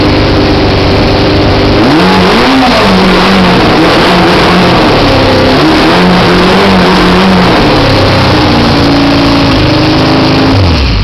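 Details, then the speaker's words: 1973 CB500 build, off choke, just after fitting new mufflers: idle hunts and climbs unevenly, then drops away as the bike runs out of fuel. Little fuel reaches the carb; back pressure from the mufflers is also suspected. "So see how the idle's going up? That's the sound of a bike running out of gas."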